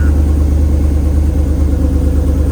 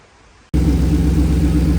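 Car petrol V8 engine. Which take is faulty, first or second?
first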